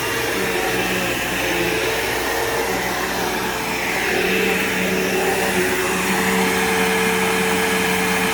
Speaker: so this thing definitely works perfectly fine it has a nice good brush roll in it